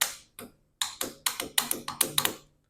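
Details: 1977 International Harvester 140 tractor, cranking attempt on jumper cables with spark plugs out, engine with suspected cylinder leak: about nine sharp dry clicks in uneven bursts, no cranking; owner suspects a bad starter; engine fails to crank.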